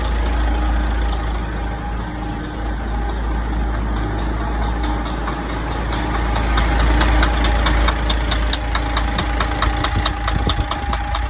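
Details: DAF 105 truck diesel at idle: heavy clatter with a rough, repeating knock about three to four times a second; engine knocking, cause unclear.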